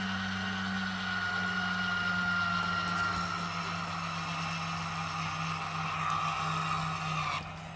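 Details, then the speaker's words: 2017 Bailey Unicorn Cadiz caravan motor mover engaging: control box clicks, then steady electric motor hum with faint whine cutting off as rollers reach the tyres; normal operation. "you'll hear a clicking noise coming from the move control box itself and at that point press the two buttons here and you'll notice the motor mover will engage against the"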